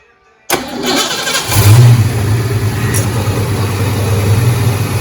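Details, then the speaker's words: 1988 Ford Mustang GT (Fox Body), first start after a power steering pump replacement: the engine cranks, catches and idles with a steady low groan. Air trapped in the system, probably from low fluid. "so it doesn't sound good it's just doing that because there's not enough fluid in there probably"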